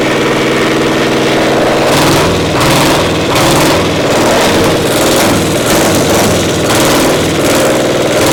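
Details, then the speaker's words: Diesel 70 pony motor at round 4 start, running on one cylinder with the second firing only once in a while: uneven, loping run with beats dropping out roughly once a second; carb acting good now, misfire from faulty magneto cap. "So what's the status? Running on one cylinder. We got one cylinder not Hitting working. on two once in a while. Acts like a spark plug or something was goofy."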